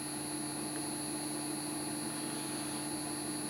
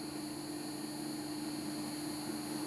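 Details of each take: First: BEST BST-863 hot-air rework station, new blower just fitted: steady airy blower hiss with fixed hum and high whistle, pushing air but not heating; cause later found to be blown thermal fuse, no heat. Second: BEST BST-863 hot-air rework station after blower replacement: steady even blower hiss and constant hum, no flutter or rattle; reaches 375, then fan ramps to 100 during cool-down; normal blower and heater operation.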